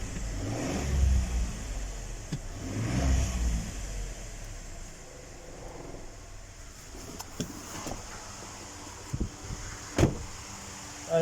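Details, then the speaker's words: 2015 Ford Expedition petrol V6 after new spark plugs for P0306 cylinder 6 misfire: blips twice and settles to a smooth, even idle with normal light ticking, no stumble, shake or misfire. "حتى المحرك يا دوب تسمع صوت التكتكة أو السكسكة حقت المحرك طبيعية طبعا جدا، وما في لا نفضة ولا تفتفة ولا في أي اهتزاز،"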